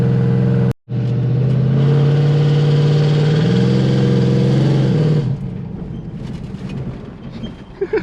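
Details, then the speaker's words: On road test: deep, loud V8 drone under light, barely-there throttle, pitch rising gently with speed, no knocks or misses; running normally, very loud. "this thing is super loud i'm barely gassing it this thing's got some power i feel it already"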